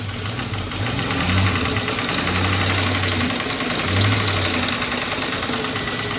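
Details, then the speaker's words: Salvage-title Mustang with the MAF sensor unplugged: it idles low and uneven, the beat sagging and surging, about to stall, when a high idle was expected. Idle recovers once the sensor signal returns; desired idle is 800 rpm. "oh now I've got a low idle but [Music] uh kind of about to"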